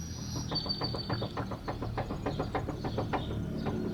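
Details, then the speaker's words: 1999-04 Nissan Frontier 3.3L steering rocked by hand: rapid dull clunks, about three a second, from slop in the worn front center drag link at the pitman arm end. "you can actually hear it if I if I shake this enough actually about put the camera up here you'll hear it clunking hear that"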